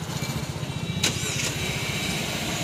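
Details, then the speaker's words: Nissan Kicks started by remote key while locked with no one inside: quick crank that catches almost at once, a light click, then a smooth, even, quiet idle. Normal engine start. "यह देखिए finally गाड़ी start हो गई है और आप देख सकते हैं अंदर भी कोई नहीं है"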